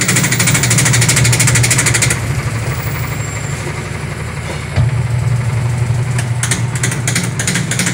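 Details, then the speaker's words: Sharp automatic washing machine over 10 years old, spin-dry: deep droning spin with uneven thumping about three times a second, growing as speed steadies; very wobbly tub hits the cabinet side, defective tub assembly. "Yan, sobrang mapalag yung kanyang tab, kaya bumabangga siya, kaya nag-iingay"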